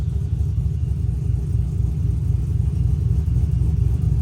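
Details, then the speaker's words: Brian Tooley Truck Norris cam engine idling, HP Tuners idle timing swing reduced to 5 degrees up and down: steady deep rumble with gentle fairly even chop about four times a second, balance between natural and artificial lope, nothing faulty. "let's get back here and see what it sounds like that's a pretty good balance between being too choppy and a natural Sony cam"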